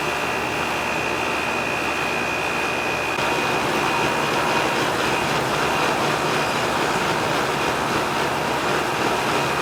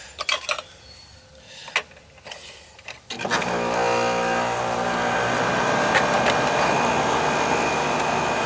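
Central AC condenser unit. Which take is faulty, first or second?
first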